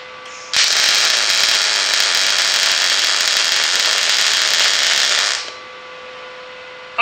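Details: Longevity ProMTS 200 inverter MIG welder: about five seconds of even, crisp frying crackle with no pops or sputter; a normal MIG welding arc.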